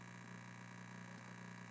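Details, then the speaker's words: Atari 1200 8-bit computer reported as not working: a steady, harsh, even buzz with a low hum underneath on the audio output, sounding like a video signal coming in over the audio pin. The same cable works on another 1200. "Okay, this is odd. So the buzzing we were hearing sounds like a video signal, but coming in over the audio pin."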